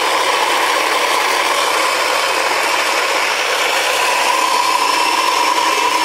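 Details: Saeco Incanto Classic superautomatic espresso machine with casing removed and sensors bypassed: loud, even grinding rasp holding steady for several seconds without catches or speed changes; grinder running normally.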